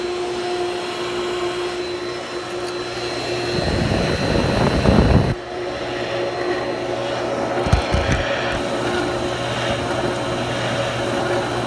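Steady motor hum with a couple of seconds of rough, gritty grinding flaring up over it; the pump is grinding, cause unclear.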